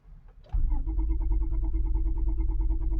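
Starter grinds with a steady, slow cranking rhythm of about three turns per second, but the engine never catches and runs.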